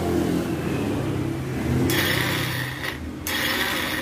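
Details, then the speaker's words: Yamaha Xeon carburettor scooter, electric starter button pressed: high whirring whine spins up and stops but never catches or turns the engine; starter motor runs free without engaging, mechanic suspects worn or broken one-way starter clutch. "Ayo kita ini tombol starter tapi kok kenapa di sini dia tidak nyangkut tidak kuat besarnya tidak ngangkat misalkan akan dia motor doang ya"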